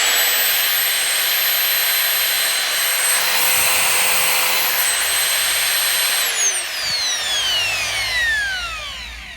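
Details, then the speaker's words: Vax Power Compact CCMBPCV1P1 vacuum motor, removed and run bare after clearing a full blockage of clogged fluff: steady high whine and airy rush, winding down smoothly, sounding fine despite a layer of debris. "it sounds fine you know you can see in there that's got a layer of bits but it seems to be doing okay"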